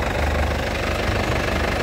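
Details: Isuzu Panther LS Turbo 2007 diesel, about 103,000 km, original paint, undercarriage dry with no oil leaks: steady low diesel clatter at idle, even and unbroken, no misses or extra knocks; exhaust smoke clean, healthy engine.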